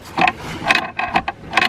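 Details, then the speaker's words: 2002 Arctic Cat ZR 800 or 1997 Ski-Doo MXZ 583 snowmobile rescued from woods, secondary rolled by hand: slow irregular clattering clicks, loose marble-like rattle inside the chain case from a tensioner roller missing its pin. "I do hear a little something weird going on over here in our chain case I roll over the secondary"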